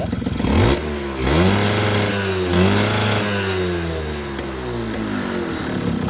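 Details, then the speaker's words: Suzuki RC two-stroke with the air filter box removed. Repeated blips rise cleanly and fall back smoothly. With the box fitted it stutters and won't rev high, so the carburettor is delivering too much fuel. "Oke, kalau soal berbet, digas tidak bisa meraung tinggi karena terlalu boros BBM ya teman-teman, karena di sini menggunakan box filter. Kalau boros BBM di kabelator menggunakan box filter, akan otomatis motor akan jadi berbet dan tidak kuat meraung dan tidak kuat lari."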